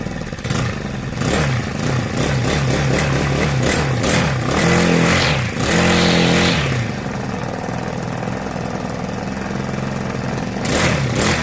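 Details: Honda GX35 brush cutter after a valve tappet clearance adjustment and clutch replacement to cure a metallic ticking: the small four-stroke blips up and settles back to a steady idle with no top-end ticking; the valves are quiet.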